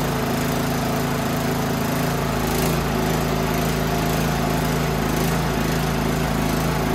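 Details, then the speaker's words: Toro Power Max 824 OE snowblower after fuel pickup and carburetor rebuild work, throttle up, primed: steady, even small-engine idle with constant low beat, no misses, surging or knocking; running normally. "sounds good [Applause] and she idols"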